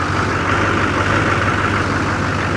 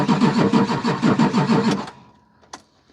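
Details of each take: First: Diesel jump-started from an Autogen 4500 A portable jump box, with the fuel pump primed. Steady, even diesel clatter at idle with a deep, constant rumble and no misses or knocks; normal idle. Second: Vehicle cranked with an Autogen 4500A portable jump starter in boost mode, clamped to the battery cable with no batteries connected. Steady cranking about three turns a second for nearly two seconds never catches; the owner suspects the unprimed fuel pump/filter prevented the start.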